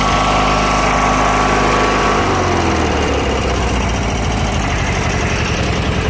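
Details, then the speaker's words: Junkyard Briggs & Stratton opposed-twin engine at full throttle, with a known crankcase breather issue: steady, even high-revving drone with a smooth firing beat and no knocks or misses; running well. "I say it's running pretty good other than the stupid breather issue which"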